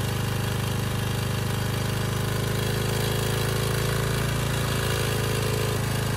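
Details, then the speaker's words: Briggs & Stratton Storm Responder generator with replacement 10 HP Briggs engine, after AVR voltage adjustment, unloaded: engine chugs at a low, lazy, even speed below its rated 62 Hz speed; governor needs adjusting. "okay just going to start it up check the speed and adjust it then we'll load it up yeah pretty slow"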